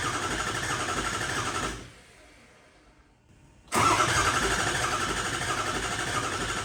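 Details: Ford 6.0 Powerstroke after a new tune, with air in the new injectors: long, steady starter churn, a pause, then a second crank that catches; extended cranking of about a minute is expected to purge the air.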